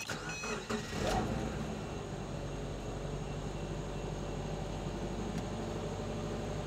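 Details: 2010 Subaru Impreza after in-tank fuel filter replacement, battery and fuel pump fuse reconnected: short crank, catches quickly, drops to smooth, quiet, steady idle with no misses or stumbles; normal start and idle.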